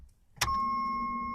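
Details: 1987 Jeep Wagoneer Limited, 4.0L, 181k miles: key turned gives a single click then only steady warning chime, no starter engagement; intermittent no-crank with good battery, cause unconfirmed.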